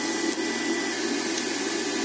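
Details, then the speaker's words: Inverter cooling fan charging a 280 Ah LiFePO4 battery at about 860 W (the fan only runs above about 600 W), at 27.5 V; steady whirring hum with constant pitch and no rattle, normal fan operation. "він включився вентилятор якщо до 600 Вт то він не включається працюю собі тихенько і без всяких проблем"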